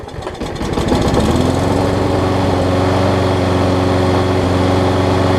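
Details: Troy-Bilt Quantum self-propelled push mower, Briggs engine (date code 03-03-13), primer-type engine fitted with the wrong auto-choke carb; started with starting fluid, it catches after a few pulls and settles into a steady, even buzz with no misses or surging. Running normally.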